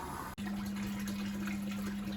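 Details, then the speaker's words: Candy Grand O Vita GV139D3, 9 kg, street-find washing machine on a 14-minute rapid test wash, pumping out after rinse 1: a steady pump hum with rushing water. Normal drain pump operation. "6 minutes, it's pumping out again. Just like that."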